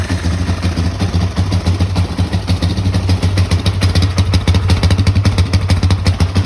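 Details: 2006 Kawasaki KFX 400 single-cylinder after a valve adjustment that first left it a no-start: now catches and runs with a quick even pulse and a few throttle blips, healthy and smooth; normal running.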